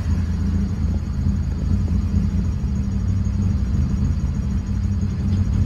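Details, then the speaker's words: Honda Civic petrol engine idling with a deep, slow rumble, nearly stalling; PCV valve was removed, and the idle screw on the throttle body is opened toward 800–1000 rpm because idle is too low. "a little too low for me i'ma open it up a little bit more i want to get the idle to be at least uh uh like eight nine hundred almost a thousand"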